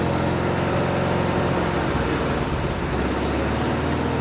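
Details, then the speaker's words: 1974 VW Bus air-cooled flat-four after tune-up: runs rough and uneven with a lumpy, wavering beat; beyond a quarter throttle it stumbles but runs on full throttle; part-throttle stumble, cause not yet found. "more than a quarter throttle, it doesn't like it, but it'll run on full throttle."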